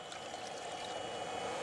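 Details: Webasto heater from a Peugeot 806 HDi used as a camper's central-heating boiler, on test: steady even rushing roar with a faint high pump whine, no surging or popping; running normally, water warming.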